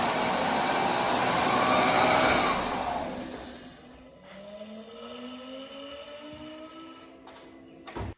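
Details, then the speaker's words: Audi A4 TFSI 35, crash-damaged, replacement engine just fitted, first start with no intercooler or airbox connected and turbo exposed; engine catches and settles into a smooth steady idle, no knocks or misfires, sounds healthy. "There's no actual airbox connected or anything at the moment, so it's not going to run right, but it's running and it sounds healthy and everything."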